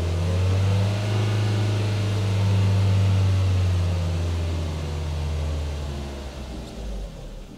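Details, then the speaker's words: Toyota Altezza with ITBs, first start after flooding with fuel, with new spark plugs: it fires, the oil pressure comes up, then the rpm hunts and it stalls, because the idle control valve was left unplugged. "though it just won't idle anymore why won't you idle anymore the icv wasn't plugged in wanted to idle idle it just couldn't cuz I didn't plug in the thing that helps it idle"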